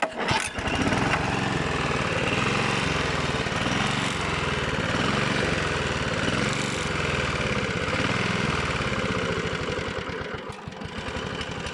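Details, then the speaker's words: Rebuilt Honda GV150 engine, transmission not yet refitted: uneven beat that hunts and sags when throttled down to idle too quickly; small adjustment needed; plug not changed, owner suspects choke, ignition coil or fuel filter. "si je la passe trop vite au ralenti elle aime pas bon c'est un petit réglage"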